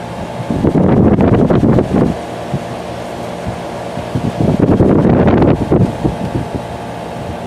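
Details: Steady, even fan hum with a few louder rushes of air from a 2-ton through-the-wall General Electric garage A/C (believed 2002), duct tape on vent slats to stop rattling; no loose rattle, normal fan operation.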